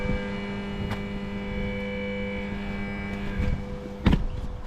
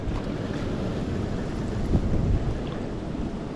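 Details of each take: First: Jacuzzi pump 2 hums steadily but won't spin, while the circulation pump and blower work. The start capacitor is suspected, and the axle is heavily rusted; a new pump was ordered. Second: Jacuzzi pump running: steady rush of churning water over a low even hum with no knocks or surges; normal pump operation.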